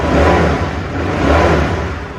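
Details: Honda CBR150R Fi (Thailand) after replacing the cam chain, tensioner guide and tensioner, with original exhaust: smooth even revving with two clean throttle blips, no top-end rattle or ticking, much smoother than before the repair.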